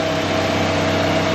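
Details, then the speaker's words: Bank-repossessed vehicle at auction, engine bay open, described as very quiet: smooth, even idle with a steady low hum and no knocks, ticks or rattles; normal idle. "Ayan, tahimik na tahimik engine."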